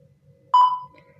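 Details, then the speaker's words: Disassembled double-DIN car head unit on the bench, display works but no sound: one short, clean menu-key beep against near silence, with no music or radio following. Still no audio output. "Oh, untuk tombol menu dia ada suaranya. Tapi untuk musik, sebentar."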